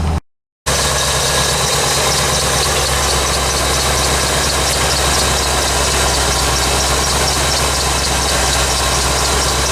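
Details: 1985 C4 Corvette at cold idle on a 14-degree morning after the negative battery cable connection was fixed. Constant hum with the fast idle holding even, no knocks or misses; oil and coolant temperatures still too low. Normal warm-up.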